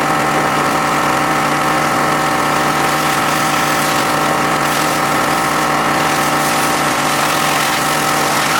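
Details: John Deere X540 mower that came in crank-no-start with no spark, idle about a year; both coils found dead, failed module swapped. Loud, even twin drone with no misses or stumbles over nine seconds: normal running after repair.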